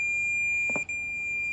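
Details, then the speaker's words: 1966 Oldsmobile Toronado barn find: multimeter continuity test of the repaired neutral safety switch gives a steady high beep with a brief dropout in park. The switch closes properly and is fixed. "so she works I tested the park side too let me shut that off to get rid of that God awful sound and we're good which means this thing's fixed"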